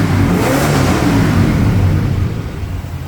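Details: 1977 Ford Thunderbird V8 in park after fixing an exhaust leak between cat and pipe with muffler mud and gasket: deep rumble swelling on a throttle blip and settling, clean, no ticking or puffing.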